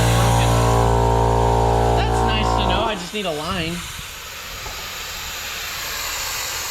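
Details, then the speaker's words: Diesel truck intake pressurized with a boost leak detector after tightening a bolt: compressor drone stops, leaving a steady loud hiss of escaping air with bubbling under soapy water; intake can't hold pressure, boost leak found. "See, it can't even hold pressure. Nope. It's all coming out of there."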